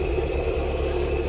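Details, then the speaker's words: Toyota MR2 at idle with a horrible, steady high-pitched screech of constant pitch; the owner suspects the water pump bearing and a cracked belt. "we have this horrible screech coming from the mr2"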